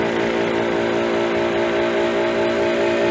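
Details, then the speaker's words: Walk-in cooler compressor on R22, hot after being down since afternoon, being throttled back in: a steady hum with a loose, uneven knock two or three times a second, shaking like a little car engine; leaking valves suspected, so compressor knocking. "never seen them do what it's doing. Kind of like a little car engine going on."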